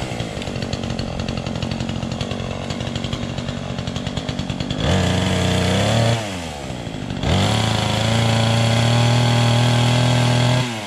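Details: Chainsaw just started on choke, loose chain: quick even idle, then clean revs up to a steady high scream and back down; responds crisply and runs smoothly.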